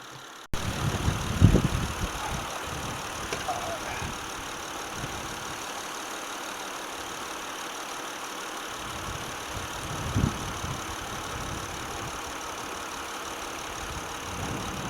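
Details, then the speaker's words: Car engine just after the throttle body was cleaned with spray cleaner, before reassembly: quiet, low steady idle with a soft even rumble and no stumble or hunting. Normal idle. "i just cleaned it out not two bucks here how it's not here how it's running did i turn the microphone on it it runs nice and good sweet sweet as pie"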